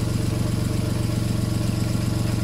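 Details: VW Polo whose alternator had stopped charging, repaired for free with a new regulator; now charging with no more dropouts, new flex pipe fitted. Steady, even idle with a smooth low pulse and no misses or stumbles; healthy engine after the repair.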